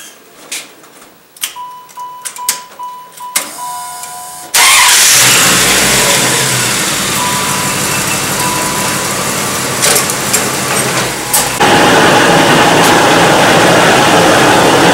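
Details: 1995 Dodge Ram 1500 with rear on jack stands, running in gear: a steady rushing growl with a faint whine from the rear axle, heard on coasting and louder with speed; suspected worn pinion bearing(s).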